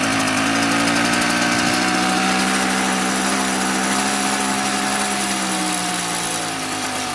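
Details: Mobylette X1 two-stroke moped after an engine rebuild, timing about 24 degrees BTDC. It labours and burbles unevenly at full throttle, sagging toward a stall, then stalls. Badly over-rich mixture.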